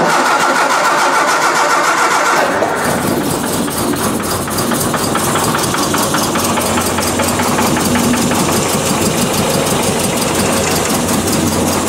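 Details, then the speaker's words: 1966 Triumph Spitfire, 1147cc rebuilt engine, ran fine in March: catches after a couple seconds of cranking, then idles unevenly with a lumpy, irregular beat. Ignition timing checked right on the mark at number one TDC, so cause unknown; rough running. "well looking at that time and the time is right on obviously it didn't run very well but number one cylinder right at top dead center right on the Mark I think I might be stumped"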